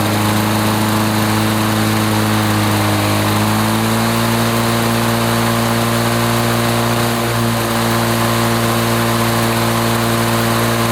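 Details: 1980s Lawn-Boy two-stroke mower that wouldn't run after running out of fuel, test-run after service, pull-started: steady, even two-stroke buzz holding speed with no misses or surging; runs 3480 rpm, which is fine.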